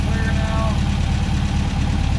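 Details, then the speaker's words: 1963 VW Beetle air-cooled engine after new plugs, fuel pump cleaned of orange gunk, fresh gas and Seafoam: quick, fairly steady putter with slight unevenness; idle now smoother, normal. "okay we finally got it to idle smoother i think it just needs to run to get some regularity in it"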